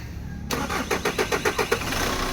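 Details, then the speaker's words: Kia Sorento D4CB diesel, formerly a hard starter, after cleaning the camshaft and crankshaft sensors: brief cranking, then it catches within about a second and settles into an even idle. A clean, prompt start. "So ngayon kahit hindi na kinati natin ng ano-ano diyan umaandar na talaga ang makina"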